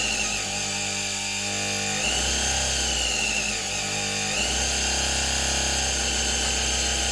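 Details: 1970s Soviet Czajka vacuum cleaner motor after replacing both bearings (16100 and 627), run bypassing the capacitor: whine surges and drops in steps every couple of seconds; uneven running, rotor likely needs replacing.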